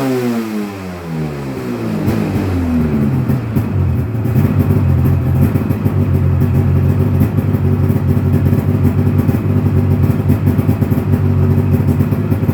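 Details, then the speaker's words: 1996 Polaris XCR 440 Special with EFI conversion and XCR pipe, no ACS fitted so ECU may time out: engine catches and settles into crisp steady two-stroke buzz, clean pitch, no misses; runs mint, normal idle and revving. "Wow. This thing runs absolutely mint for 240 bucks."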